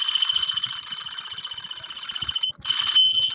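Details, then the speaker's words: Traxxas Mini E-Revo RC truck, throttle applied with drivetrain spinning freely and not slipping: high, thin whine with quick flutter about four per second; owner unsure whether motor or transmission noise is abnormal. "it's just that noise i also want to make sure that noise is is not something that's abnormal and as you can see the thing is spinning it's legitimately spinning like it's not catching or something"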